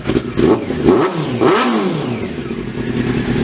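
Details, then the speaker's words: Honda CBR600 after carburetor cleaning, first run since March on choke, dry engine; crisp throttle blips rising and falling cleanly, returning to smooth even idle with no stumble or misfire, runs well. "all right guys so as you saw in the last clip the cvr sounds unreal it sounds so good"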